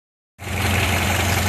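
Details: Ford Model A engine settling into a smooth, even idle with a steady low beat, no misses or knocks, before the gas is shut off at the in-series switch. Running healthy.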